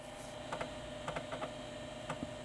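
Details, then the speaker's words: 1989 Philips PCL 304 Intel i386sx laptop floppy drive booting a DOS boot floppy: a steady spin hum with crisp clusters of head-stepping ticks, access light on, booting successfully. Normal floppy drive seek. "oh I can hear it it's definitely spinning and I can hear the head accessing stuff and we have a floppy disc access light"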